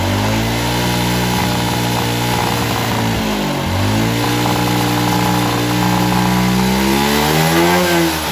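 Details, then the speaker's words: Suzuki Smash New carbureted single-cylinder motorcycle with high fuel consumption, after carburetor air/idle screw adjustment: revs up smoothly and settles, a crisp, even note with no misses or popping. "kita cari apa entengnya suara mesin dan garingnya suara mesin ya"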